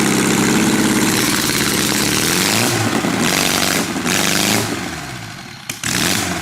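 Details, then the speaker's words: 1976 US military surplus 32 cubic inch four-cylinder generator engine, startup: engine surges and revs unevenly, then sags instead of settling to fixed speed; sounds good but governor not acting right. "it sounds good the uh Governor is not acting right"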